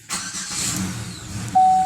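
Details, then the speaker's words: Buick Terraza van after the no-start was sorted: quick crank catches at once and settles into an even run, then a steady chime sounds; starter sounds great and the engine starts cleanly. "But hey, it starts again. And that was the goal."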